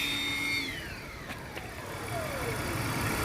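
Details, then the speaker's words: Car after coolant expansion tank replacement and an oil and filter change with the correct oil: pump whir winds down and stops after about 90 seconds, leaving a soft, even idle with no chatter or ticking; normal. "90 seconds it shuts itself off it's wild this engine is quiet now"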